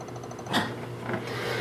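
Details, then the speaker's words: Failed Lambda Omega MML 400 switch mode DC power supply under test, faint rapid ticking with very low output voltage on the 2 V and 12 V outputs, hiccup restart cycling instead of holding its output. "okay and you can see same kind of little ticking sound with very low voltage 2 and a 12 volts or"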